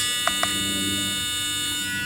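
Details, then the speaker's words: 1998 Honda Accord with the key on and engine off: constant high electrical buzz with two short chirps near the start, from a leaking transmission shift solenoid owner suspects is bad. "The car's not even on. The key just in the on position. It is doing that."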